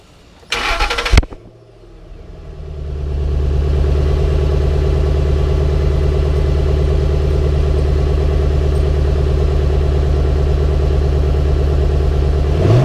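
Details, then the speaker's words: Ford Mustang GT V8 with the factory muffler refitted after a bent exhaust hanger was straightened, for comparison with the earlier straight-piped sound; the starter catches quickly into a deep, steady idle with no rattle: normal idle. "So I don't know if you can tell, but there's quite a difference. Sounds a whole lot better with the muffler off, so I really want to get an exhaust put on this here pretty quick."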